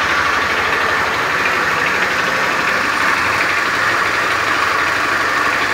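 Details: Beat FI scooter with a rough starter, idling in the workshop: a harsh, uneven klotok-klotok clatter running through the engine, a rough knocking. Source unconfirmed.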